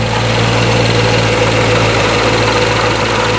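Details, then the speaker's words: 2019 Corvette C7 Grand Sport, first fire after Magnuson TVS2650 supercharger install, cold garage: smooth even V8 idle with steady low drone and faint blower whine, no leaks or fuel smell, idling nicely: normal idle. "can hear a little bit of the blower there i'm back around i don't see any leaks i don't smell any fuel sounds good idling nicely"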